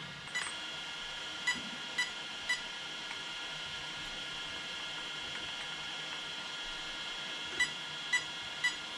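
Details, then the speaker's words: Arrma Kraton 8S RC truck: three quick high beeps from the ESC, repeated, with power loss in first gear and gears fine; owner suspects armature loose or broken motor. "three beeps coming out of the esc"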